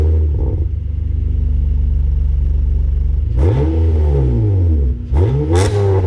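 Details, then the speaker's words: Acura TL 3.7 V6 with aftermarket Endless exhaust, morning start recorded on a GoPro; steady smooth idle, then two quick blips that climb and fall cleanly with a deep, even note: normal idle and revving. "it sounds really nice it sounds really nice it's not too loud not too obnoxious and you can hear that 3.7 a little better than the uh stock exhaust"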